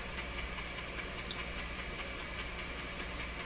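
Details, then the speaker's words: Nordmende Norma Luxus tube radio on FM with a bare wire antenna: faint regular ticking about a hundred a minute over steady hiss, attributed to the nearby soldering iron's interference, amid a loose-connection fault. "fm antenna why is it making that chucking sound you shouldn't hear that on a fm radio"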